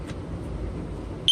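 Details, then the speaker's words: Sears 302.57475 smoke alarm with silencer: quiet hum then sudden piercing steady high tone near 3 kHz, heard as about F sharp; alarm horn works normally. "of course when I trigger it you know to me it sounds more like F sharp"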